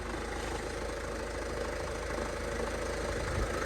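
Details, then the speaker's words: Salvage-auction van, diesel, idling: a loose, uneven rattle at about three per second rides over a steady idle. It runs but won't drive, and the source is unconfirmed. "Now we know that it runs, it definitely don't drive. That noise, I need to get that sorted out straight away."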